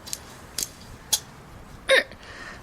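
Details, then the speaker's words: Sharp dry rattles in short uneven bursts from a 1968 VW Type 3 Fastback speedometer spun on the bench; it had seized and snapped cables, now turns freely; cause is dried-out lubrication, moly lube planned, possibly a wallowed pot-metal bore. "but there's that that rattle that you just heard did it for just a second not that rattle that that was what the spomer was doing it was making exactly that"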